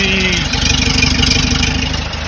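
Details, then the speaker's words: 1968 Porsche 912 air-cooled engine, freshly reinstalled, running after a distributor adjustment that helped. Uneven, lumpy idle while oil burns off: a rough idle. "so i adjusted the distributor a little bit and it definitely helped but everything sounds super good it sounds a little rough is running good the oil's burning"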